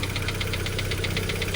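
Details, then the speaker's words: Mitsubishi Xpander noisy right after an oil change, idling: a light metallic ticking at about seven per second, timing chain slapping; very thick oil, possibly gear oil, was put in instead of the correct oil, and it will be drained. "Yan, yung ingay ng expander mga boss. Yan o. Timing chain. Ayan o. Diba? Mga palo."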